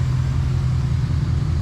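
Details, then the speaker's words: V8 truck after a bad ignition coil was found to cause a misfire: a deep, even exhaust rumble with no stumble or skipped beats, idling much smoother than before the repair. "You hear it in the exhaust, too. Oh yeah, lot smoother. Yep. Say we had ourselves a bad coil."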